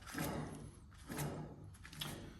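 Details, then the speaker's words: Ford front wheel hub, turned by hand with caliper removed: gritty, rough grinding; wheel bearing assembly worn out, replaced. "So it's pretty well had the end of its time."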